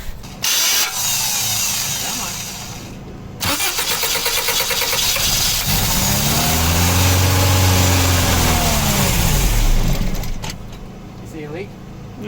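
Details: 1985 Toyota van sitting 11 years, running on a fuel mix with carb cleaner, ATF dripping, apparently from the dipstick tube: cranks, catches, sputters unevenly, revs briefly and fades out; brief start then stall, cause suspected.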